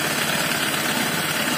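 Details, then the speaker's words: Honda Vario Techno 125 FI scooter: harsh, rattly idle with a gritty clatter from the middle of the engine, and radiator coolant spraying up. CVT was checked and is normal. Suspected cause is worn piston and block with loose piston ring clearance. "ini suara mesin kasar Ternyata bukan dari bagiku penyakitnya bukan dari sini bukan dari tempat CVC nah penyakitnya berasal dari tengah sini di bagian piston ring suara piston yang ngeflek lebih cepat"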